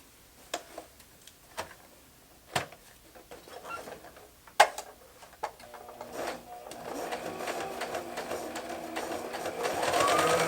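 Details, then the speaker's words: Domestic modern Brother sewing machine after rethreading and correcting top tension, which was set low with no top tension: scattered clicks then a light, even whirr steadily speeding up, no snagging or thumping; sewing normally, user error. "it seems to be working just fine now tension was a little off on the top it was actually set lower than I probably would have started out with anyway"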